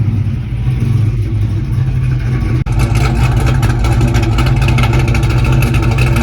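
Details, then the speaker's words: Pontiac GTO with a fuel pump problem, fuel pressure 50–55 psi at idle: engine idles steadily, then stumbles and briefly drops out as throttle comes in; owner suspects fuel pressure drops on throttle, possible fuel starvation. "all right so I I think my fuel pressure is dropping when I hit the gas it's running good idle at 50 55 but I think it's dropping when I hit the gas"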